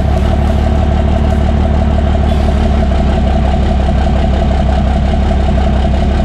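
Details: Cummins diesel truck just after P-pump swap: loud idle with rapid uneven tapping, about three per second, from the open intake; not a knock, only because the intake manifold is not fitted yet, and expected to go away once installed.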